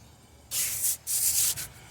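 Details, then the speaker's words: 2011 Chevy Impala, wheel spun by hand on the side without the bad bearing: soft pulsing swish of brake pads lightly touching the rotor, not bad, and no humming; the humming bad bearing is on the right rear. "this is very much the the brake pads touching the brake rotors or the brake disc it's not that bad"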